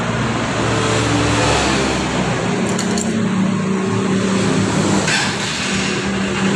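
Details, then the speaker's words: Honda Supremo motorcycle after refitting an omitted O-ring and setting valve clearance (0.12 and 0.10): engine settles into a steady, even run with no knocking or rattling; quiet, normal running. "Ngayon paparinig ko sa inyo. Ito yung normal na tunog ng hand supremo. Okay, start natin ha."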